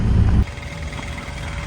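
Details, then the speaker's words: Mercedes truck on a cold 3° Saturday morning, engine off, microphone underneath: faint steady electric hum as the AdBlue pump runs constantly when it should only run with the engine running, so the pump is faulty. "the abue pump's constantly running uh which means it's faulty so with the engine not running that pump shouldn't be running that pump should be running once the engine's running"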